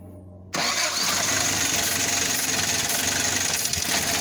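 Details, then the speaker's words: 1979 Toyota pickup with new distributor and battery, fuel system disconnected: cranks and catches with a loud ragged burst that can't settle; fires but won't stay running without fuel supply. "and now it fires up but it won't stay running obviously because i got all the fuel systems shut apart"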